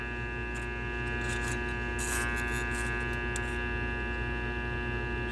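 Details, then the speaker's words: Armature growler test on a small armature with two commutator segments deliberately jumpered into a short: steady mains buzz, with the razor blade rattling and chattering as it passes over the shorted segments. "I've created a segment short I got two two segments shorted together see if I can get it to grow yep there it is and you can hear"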